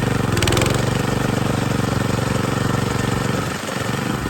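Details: John Deere 220B reel mower on test run after reassembly: it had made a bad noise when engaging the reel, and a new sprocket and new chains inside the transmission stopped it. Steady, even engine drone, no clatter or grinding; running normally.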